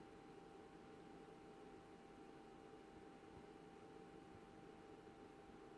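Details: BenQ W2700 projector: soft fan rush at switch-on, then about 30-40 seconds later a thin, steady, mid-pitched whine, louder than the fans, persists as long as the projector is on; loud constant whine after start-up, cause unknown.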